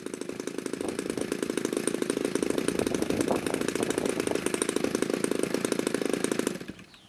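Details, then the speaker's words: DLE 35 gasoline RC airplane two-stroke in a Hangar 9 Valiant, previously hard to start; choke push rod trimmed so it no longer hits the firewall, giving full choke closure: pops right away, buzzes fast and even, then cuts off cleanly; normal running after the fix. "okay it's choked and as is my usual procedure open and the ignition is on oh it sounds like it popped right away"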